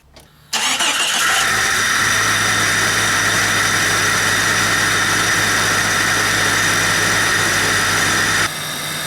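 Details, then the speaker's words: Jeep Cherokee 4.0 inline-six after a new stainless exhaust manifold, radiator and fan clutch, fixing poor running. Starts at once and holds a steady, even idle under loud fan-clutch rush and intake noise, no ticking or misses. "got a pretty good exhaust way that's the air sucking in for the intake but I can really hear that fan big difference in the fame clutch"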